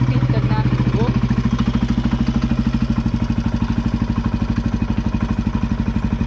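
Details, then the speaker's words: Bullet single-cylinder motorcycle idling after restarting from a long layup. A slow, loping thump with a knock on every firing stroke. Owner says a rod sound started after a relative's short 2 km ride and is still present: suspected connecting rod knock. "अभी भी आपको जो bullet चलाता होगा और ये video देखेगा तो उसे पता चल जाएगा कि रोड की आवाज़ आ रही है इसमें।"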